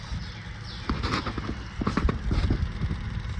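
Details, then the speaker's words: Kubota M62 tractor after replacing the third function power switch with an aftermarket one: key on, switch off, engine not running, a quick string of light mechanical clicks as the fuel pump primes normally. "Click and you hear from the fuel pump."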